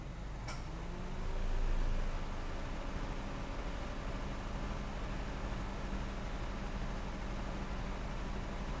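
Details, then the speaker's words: 2009 8th-generation Honda Civic, after idle relearn, restarted with AC turned on: low even idle hum holding steady after a brief swell as load comes on, no dips or hunting; normal idle. "I'm going to go ahead and start the vehicle I'm going to turn on the AC"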